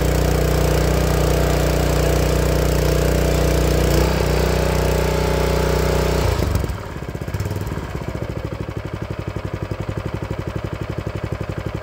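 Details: Honda GX160 single-cylinder log splitter engine, after spark plug replacement, runs a steady thump at high speed, then settles to an even, regular idle with no popping or coughing; earlier warm-up popping was traced to a failing spark plug. Normal idle.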